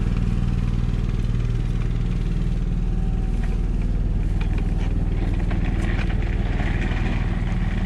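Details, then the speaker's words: Onan 5500W generator in a 2015 Forest River Georgetown motorhome (10K miles, likely long parked) after carburetor replacement: steady even low drone, no surging or misses; runs smooth and healthy. "well it's certainly running nice and smooth I started it right around 2:30 so I'm gonna let it run for a while and come back and check on it and we'll see how it does"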